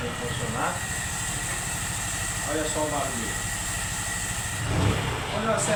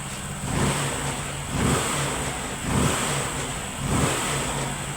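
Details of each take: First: Honda Pop 100 motorcycle, recently got running after carburetor fix, after days unused, idling: uneven metallic rattle that stops when revved and returns; some suspected cam chain or piston, actually broken magnets loose inside the flywheel rotor. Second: Honda Pop 100 single-cylinder motorcycle after repair of an engine noise; small single revs rising and dropping about once a second from ~1000 rpm idle, clean and even, no rattle or tapping; problem solved.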